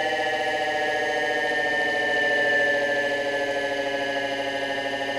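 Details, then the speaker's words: Solectria AMC325 motor controller (S/N 1492), being tested for a slow turn-on problem, running its motor with no load: a steady electric whine with clear high tones, holding even speed with a slight swell. The speed loop works well. Normal running. "I'm always impressed at how well the speed loops on these things run with no load."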